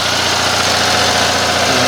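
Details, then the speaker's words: Revived Onan 305 CCK 3,500-watt generator, after about half an hour under an almost 30 amp load with cooling air still cool: constant, even, quieter hum with no knocks, surging or rattles; running healthy. "all right that's quieter so until I get my next project I'm gonna call this one good"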